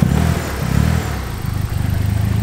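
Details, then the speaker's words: Wife's Nissan S13 started after sitting in hibernation, fresh oil topped up, muffled exhaust with a cannon-style tip; catches quickly into a steady, even idle with a deep note, no knocks or misses; normal start and idle. "yeah still started really nice sounds decent so it's not too loud has mufflers and stuff like that has like sort of a cannon on it but runs super smooth"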